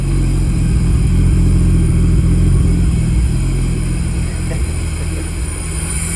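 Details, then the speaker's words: Nissan R33 sedan mid turbo conversion (45mm external wastegate, 1000cc injectors, new fuel rail), first start after swapping fuel feed and return lines, not yet plumbed up, very smoky: deep uneven note surging and sagging; runs rough. "but it doesn't run very well one because the"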